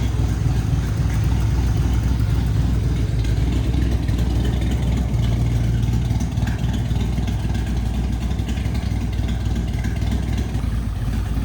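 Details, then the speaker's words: Auction-racecar Duster V8 with a new engine idling with a deep, slightly uneven lope and revving sluggishly, laboring. "when I revved it at idle, I was like, something just doesn't sound right. I could tell that it was laboring, just didn't seem as snappy as it should have been."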